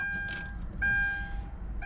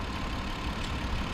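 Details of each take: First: 2009 Hyundai Grandeur TG, about 40,000 km, used-car inspection: warning chime, then about two and a half seconds of steady cranking that never catches; starts later with another key, spare key likely not registered to the immobilizer. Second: 2008–2009 Hyundai Grandeur TG, about 40,000 km, no accident history, engine idling: soft, steady hum with no knocks, ticks or rattles; engine quieter than expected, normal healthy idle.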